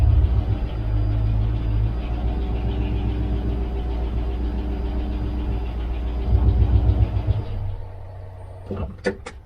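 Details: Jeep Grand Cherokee WJ with low fuel pressure and hard starting (busted fuel pump O-ring): steady low, even rumble with no misses or knocks for several seconds before shutting off; engine starts and runs healthy.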